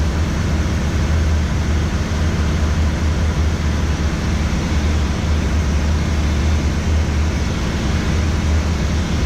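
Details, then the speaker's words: Pressure washer in steam mode, burner heating up with wet steam starting to come out, said to sound a little funny; steady low drone with rough hiss on top, no knocks or surging; normal steam-mode operation. "You can see the steam starting to come out, and it's a wet steam. You'll hear it, it'll start to sound a little funny too."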